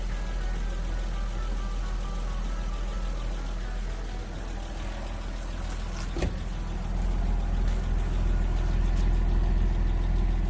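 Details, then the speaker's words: Porsche Boxster, non-running water-damaged donor car for a 2000 Boxster S, after replacing the fuel sending unit and splicing the immobilizer wiring: steady low rumble with an even beat, a brief rev blip, then a smooth, settled idle as it warms up. "all right looks good give a little Rev running pretty well now let it warm up"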